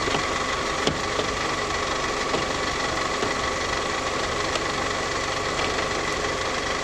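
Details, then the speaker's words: Steady high belt squeal over running engine, constant without wavering; shiny spot on belt, bearings failing in tensioner pulley, tensioner to be replaced. "okay so we've got a vehicle with a belt squeal so i will get in here and show you what i'm talking about first you can hear it"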